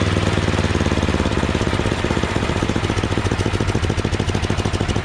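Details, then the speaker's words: MTD Yardman 8.5 HP 26-inch two-stage snowblower after carburetor cleaning (pilot jet was clogged): small single-cylinder engine idling at a quick, even beat with no misses or hunting; still vibrates when auger is engaged. "and that's idle that sounds really good so obviously that's what it was pilot jet"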